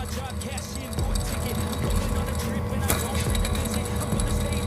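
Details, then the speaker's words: Nissan Pathfinder engine idling: steady whirring with a faint chirp from a worn, wobbling drive belt tensioner pulley; the belt rides on the edge of the pulley and the tensioner is recommended for replacement. "should not sound like that so I will give him the option to replace that tensioner as well"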